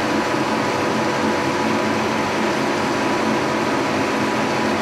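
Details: 1943 Brown & Sharpe No 2 Plain Standard mill, roughly 80 years old, head swung horizontal to cut an aluminum block: steady even hum, constant mid-pitch cutting tone, no knocks or chatter; normal cutting operation.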